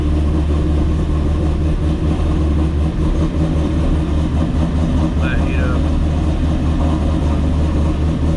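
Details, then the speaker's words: Ford GT500 with 2.5 pulley, after new spark plugs, cold start: deep, steady V8 rumble, slightly lumpy while warming, no misses or knocks; healthy cold-start idle. "Waring up so just chopping a little light but hell yeah good stuff pretty happy with that"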